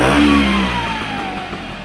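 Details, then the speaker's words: Vespa GS150 two-stroke, warmed up, cowling off, after carburettor adjustment: a quick throttle blip, then the revs fall straight back to a steady tickover without hanging. The carburettor is set up correctly. "i'm quite happy that that's kicking over it's not hanging it's not running"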